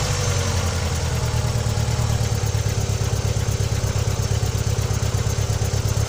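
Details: Opel Vectra B idling: irregular rhythmic tapping roughly 85 beats a minute over the idle; abnormal engine noise, cause unclear.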